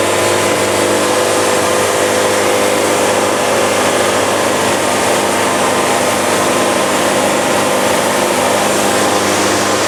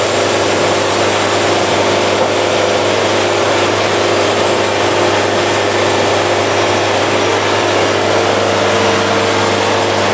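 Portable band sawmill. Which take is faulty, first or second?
first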